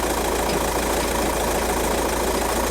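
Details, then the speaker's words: 2006 VW Jetta TDI (BRM diesel) idling, heard from under the car: dense fast metallic rattle over the clatter from a worn dual mass flywheel; car being diagnosed for low boost P0299. "that's dual mass flywheel rattle"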